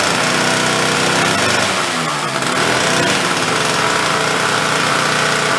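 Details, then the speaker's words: Late-1970s Chrysler Sno-Runner, barn-stored 45 years, after final repairs and a cold start with the decompression valve: busy, raspy two-stroke patter holding steady speed without stumbling, clearing out and running fine. "good morning man it's pretty good it's gonna run a little bit get it cleared out"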